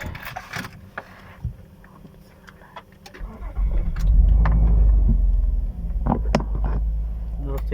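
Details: 2008 Nissan Murano 3.5 L V6, after fixing multi-cylinder misfires by removing all six spark plugs and cleaning the cylinders: starter cranks briefly, engine catches and settles into a steady, even idle with no stumble or miss.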